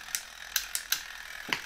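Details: 1972 Zelmer SC hand dryer, unmarked timer switch module removed for inspection, spring-wound automatic timer (about 2 minutes): sharp dry ticks at an uneven pace, a few per second. Normal escapement action.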